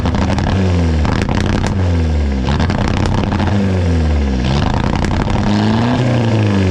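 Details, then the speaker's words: VW MK4 Jetta TDI ALH diesel, freshly swapped replacement engine with factory turbo, injection quantity about 5.2: revving up and down cleanly, pitch smoothly following throttle, no knock or misfire; healthy engine and turbo. "This is a factory turbo on this, and it sounds so cool."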